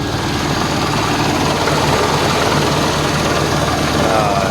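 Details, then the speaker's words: Proton Waja idling after repair of a broken crank sensor wire and socket that caused sudden stalling while driving: loud, steady drone holding even speed with no stumbles or cut-outs; normal idle. "Cuba kita start tengok. Okey, dah hidup"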